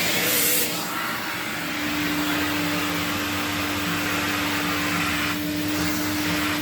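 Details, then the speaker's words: 1979 Electrolux Z96 vacuum cleaner, floor head on carpet: steady motor roar with a strained hum as if airflow is choked; owner suspects it needs an air release, sounds healthier after a few minutes' running; vacuum motor labouring. "on the carpet sounds like it's struggling a bit it's like it needs a release of air or something"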